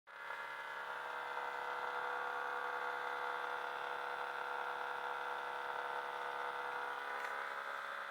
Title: Hitachi 25 RPD/WPD loud noise